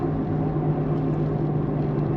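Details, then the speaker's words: Peugeot 3008 on a road test after a complete suspension job: a steady whirring hum over road noise that grows at speed, a front wheel bearing destroyed by pressure from the failed shock top mount; the noise was not there on the previous drive. "You'll hear a whirring noise. Can you hear it now? Hear that? Yeah. Yeah, it's your wheel bearing."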